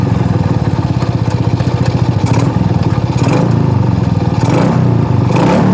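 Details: Shogun R110 small single, gear-indicator panel plug disconnected: steady, even thudding beat with a few gear-engagement clicks, never stalls in first gear; normal running instead of the usual stall.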